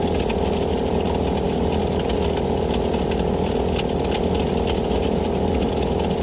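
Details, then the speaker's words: Vevor air compressor that had stopped pumping, after replacing the failed gasket: pump chugs evenly at nearly three strokes a second with a light rattle and clacking, pressure rising; compressor now pumping normally, though a bad bearing is suspected. "oh yeah see the pressure going up yeah that's it it's fixed"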